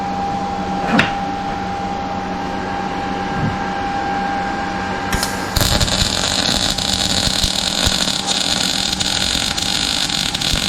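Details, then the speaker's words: Harbor Freight Titanium 200 multifunction welder, MIG welding a piece: steady, even frying crackle without pops or sputter; wire feed rate about right, clean weld. "It's making exactly the right sound. I can hear the circles he's making."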